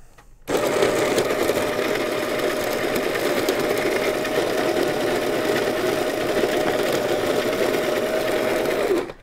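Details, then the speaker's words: Encore grinder grinding coffee beans for drip brewing, demonstrating noise level: steady even motor whir with constant mid-pitch grinding note, no surging or rattles; running normally. "I just wanted you to be able to hear the noise level of the Encore."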